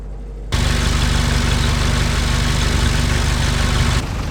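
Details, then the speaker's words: Original Ford GPW Jeep, cold with no choke and no hand throttle: slow, even, thumping idle with steady firing and no misses; the valves may need slight adjustment. "And here we go, no choke, she hasn't heated up yet, no choke and no hand throttle. So I'll try and keep as quiet as possible so you can enjoy it. You can see she ticks over very nicely indeed."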